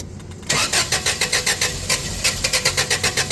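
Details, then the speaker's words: Toyota 8FGU25 propane forklift, first start after oil pressure switch replacement: the starter cranks in an even chug of about four per second and the engine never catches, starved of fuel because the gasoline/propane selector was switched off. "Oh, look at there. It's off. Yeah, if you ever got one that's not running, someone's messed with you, flip that back to propane."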